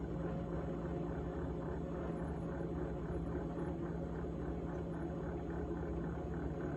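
Constant low motor hum with a faint, fast repeating buzzy rattle riding on it; something loose is vibrating while the fridge runs.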